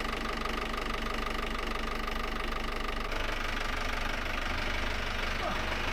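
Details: Volvo Penta AD31 diesel, port engine of a Fairline Targa 28 boat, started after a raw water pump rebuild with new seals to cure a seawater leak, with no leaks now: steady diesel clatter with an even beat, no stumble or surge; normal running.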